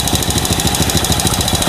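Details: Honda Supra motorcycle, single-cylinder, new carburetor: quick, steady, even idle thump with no misses or ticking, healthy; owner complained of fouling plugs and suspected valve leak.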